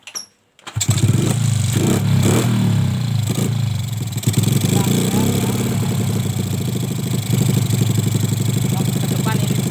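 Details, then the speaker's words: Suzuki Smash carbureted motorcycle after carburetor work: starts then idles with an uneven stumbling beat and dropped pulses; misfire blamed on a leaking valve, engine teardown pending. "di sini waktu kita kendorkan setelan angin-anginnya terus mati dan suaranya susu susu itu dikarenakan katupnya yang bocor"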